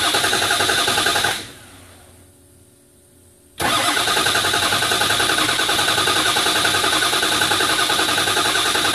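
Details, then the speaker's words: Ford 6.0L diesel after fresh assembly, high-pressure oil system primed with IDS; once air is purged ICP climbs instantly to the 600 psi needed, in under a second: brief crank, then engine catches at once and idles steadily, a normal quick start. "as soon as all the air got out of the system it'll climb like instantly and that's how you get your quick starts normally it takes like that less than a second for it to build up 600 psi"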